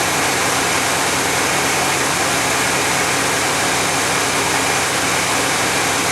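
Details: 1991 GMC Jimmy fully warmed up, about 16°C (55°F) ambient: steady, fast idle with a constant hiss and no dips or hunting; flammable spray found no vacuum leak, owner suspects an air-fuel or other sensor.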